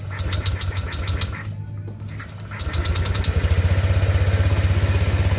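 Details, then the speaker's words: Honda Vario 125 scooter with recurring radiator coolant loss, after rebuild and refill, cold start on a weak battery: cranks weakly, catches, settles into steady even idle; no bubbles in coolant, likely normal; thermostat check pending when hot. "Nah, di sini itu dia alhamdulillah normal, tidak ada gelembung ya. Dipastikan ini kemungkinan normal ya,"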